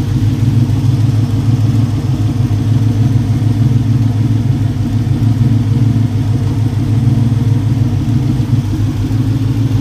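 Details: 1965 Mustang V8 at idle after fitting a braided nylon AN fuel line and a fuel cooler. A deep, slightly lumpy idle with a steady beat and no ticking, knocking or misfire stumble; normal idle.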